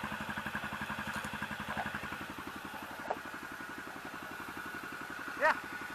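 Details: 2006 Bombardier/Can-Am DS250 ATV, single-cylinder, first start in 10 years after new battery, air filter and fresh gas with varnish cleaner (air filter not yet refitted): steady, even putter about nine or ten beats a second, no misses or knocks; normal idle.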